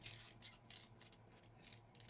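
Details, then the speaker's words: WLToys K969 1/28 RC car converted to RWD: quick light ratcheting chatter in bursts from the drivetrain. The very loose diff is being stopped by motor drag; the car won't drive and the motor seems worn out. "the PN motor naturally has a lot of like drag on it to so that's kind of why you can hear that and why it's stopping the diff but yeah she don't want to go"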